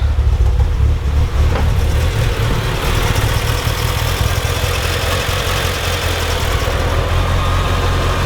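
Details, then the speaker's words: Mitsubishi EVO first real startup, no air filter fitted, smells very rich: starts and holds idle but idles rough with an uneven, lumpy beat; revs smoothly to about 4,000 rpm, no dropped cylinder evident, no check engine light. "Keeping idle now. Smells very rich. Very rich. Okay, so good news is it starts, it holds idle, but it's just a very rough idle for some reason."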